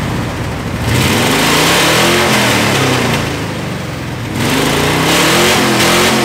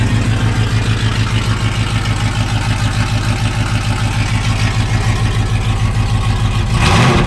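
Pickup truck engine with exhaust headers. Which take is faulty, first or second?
first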